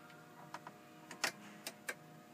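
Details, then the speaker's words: 1997–2004 Ford F150 4x4 shifting back to 2WD: half a dozen sharp clicks over a quiet hum from the transfer case shift motor underneath and GEM module relays in the dash, indicating normal operation. "drive and you'll hear the clicking of the transfer case shift motor underneath and then of course the dash indicator goes out and you hear relay clicking in the dash"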